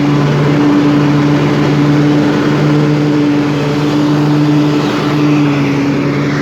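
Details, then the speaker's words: 1998 Craftsman DLT hydrostatic lawn tractor, 16.5hp Kohler Command single-cylinder, freshly tuned with rebuilt carburetor and new fuel pump, warm, full throttle: steady, even drone with no misses or surging; runs smooth with plenty of power. "as you can hear it has plenty of power runs smooth throttle it all the way down"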